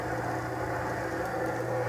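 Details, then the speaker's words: Restored 1937 Maytag Model 30 wringer washer; the motor was only vacuumed out and oiled: low, even hum with no knocks or squeals, running smooth and quiet. "So it just purrs like a kitten. Not bad for an 80-year-old machine."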